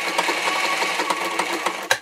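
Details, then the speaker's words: Singer 237 Fashion Mate (237M-A), as-found and run dry before cleaning or oiling: rapid clattery ticking with harsh metallic chatter through each stitch cycle, sounding a little nasty; a dry, unlubricated machine needing oil. "Let's see what she sounds like dry. Yeah, she sounds a little nasty."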